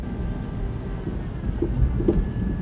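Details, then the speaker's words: Honda standing still with steering wheel turned: thin steady whine over low engine rumble; suspected power steering pump whine from low fluid with air in the hydraulic system, fix by topping up fluid. "it likely means that the power steering fluid is low and air got into the hydraulic power steering system as a consequence"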